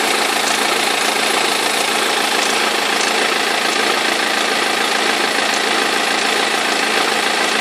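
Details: 2003 BMW E46 320d diesel idling: a rattly knock about three times a second over the engine clatter from a perished crankshaft pulley vibration damper; both belts eventually fell off.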